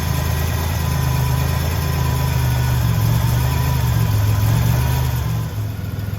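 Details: Buick Grand National V6 with rebuilt 140 block and fresh cam, restarted after the coolant system was fitted and filled: smooth, even low idle rumble with no knocks or ticks; healthy, and a later short test drive showed it shifting well.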